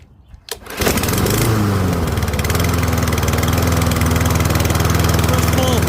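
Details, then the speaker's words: Troy-Bilt rear-wheel-drive mower with a Briggs & Stratton engine, after an ultrasonic carb clean, started cold on choke: it fires on the first pull and settles into a slightly rich, steady choked idle, a normal cold start. "Can you hear the choke? It's engaged."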